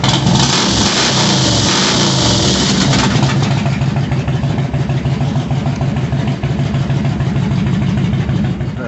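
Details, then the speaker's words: 2001 Harley-Davidson Road King with a stage two cam and lifters, warmed up after plugs and air filter were sorted: deep V-twin lope rising and falling with the throttle, no popping or misses. It revs cleanly and sounds healthy. "she just needed some really good attention I think but yeah it sounds really good I already let her warm up sounds good"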